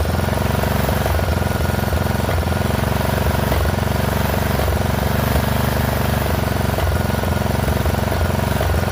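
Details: Poulan XT 12538 riding mower, 12.5 hp single-cylinder, 38-inch deck, warm, running a newly installed carburetor replacing one that leaked gas into the crankcase: uneven idle with a stumble dipping the beat about every second. Rough running; owner suspects intake/exhaust valves need adjusting.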